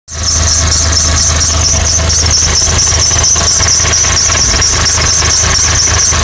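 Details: 2006 Honda Accord at idle: a steady high-pitched squeal rides over an even idle and holds constant throughout; engine squeal from under the hood, source unclear.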